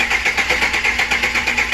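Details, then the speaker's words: 2008 Express V8 running with a steady dead miss: an uneven, stumbling beat dropping out on one cylinder. It gave a cloud of oil-burning smoke, and piston rings are suspected. An injector flowing 2.2 psi less and coolant-contaminated O2 sensors were also found. "That's where I am so far. It's pretty much a dead miss now."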